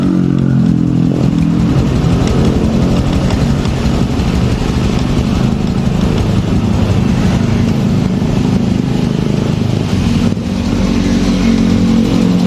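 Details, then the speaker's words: Fuel-injected Honda Revo Fit motorcycle at idle: uneven tapping under exhaust beat from right-side clutch area; clutch knock at idle. "kali ini di sini di kesempatan hari ini kita kedapatan motor revovit yang injeksi nih ya ini dengan permasalahan bisa teman-teman dengarkan sendiri tadi saat posisi stasioner di bagian mesin area bagian kopling di sini ada bunyi ya"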